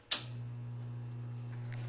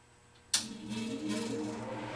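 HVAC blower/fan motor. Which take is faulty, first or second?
first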